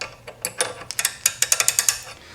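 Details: Vintage Snap-on S710 1/2-inch drive 32-tooth ratchet, freshly rebuilt with new kit and Super Lube, spun with a half-inch wrench: crisp, evenly spaced clicks speeding up to about eight a second; smooth, healthy ratchet action.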